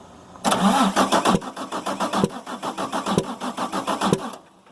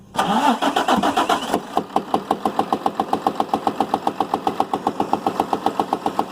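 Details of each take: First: Damaged 6.7 Cummins from a Ford F750, truck body removed, minimal wiring, batteries getting low: slow labored cranking, about four pulses a second with uneven sharp pops; suspected intake valve stuck open or dropped valve in one cylinder. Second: Damaged 6.7 Cummins diesel (rear gear-driven, medium-duty) bench-run outside the truck with no Ford OEM wiring, only 3 wires and a starter button, to judge if it's worth rebuilding; cranks briefly, catches, settles into a steady, even idle with no misses or knocks.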